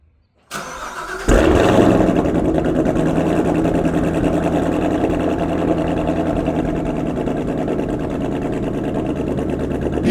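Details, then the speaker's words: Corvette Z06 V8 cold start, previous owner's clip before shipping: starter catch, then a loud idle with an uneven, stumbling pulse that sounds like misfiring; cause unconfirmed. "can audibly hear how weird it sounds on a cold start. It's like, it sounds like it's misfiring."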